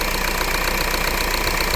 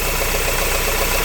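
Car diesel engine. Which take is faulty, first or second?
second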